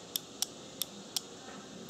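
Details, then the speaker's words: Bench test of a 1997 Nissan Maxima cooling fan relay (low/high speed), with direct power applied to coil terminals 1 and 2. Each time there is a sharp, crisp single click with no buzz or chatter: the relay is switching normally. "so again we're just applying power again this is clicking"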